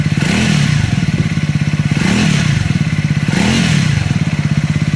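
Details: Triumph Scrambler 400X / Speed 400 single, tagged with recall: steady thumping with a dry clatter on each beat as revs rise and fall, source unclear; abnormal engine noise.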